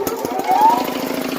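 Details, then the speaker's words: 1996 Oldsmobile Cutlass Ciera at startup: a rapid, even knocking over a light idle, several times a second. The owner says it stops once the "air pressure" builds, like something with no oil pressure; the cause is unclear. "Once the air pressure builds up, it'll quit knocking. Kind of like something with no oil pressure."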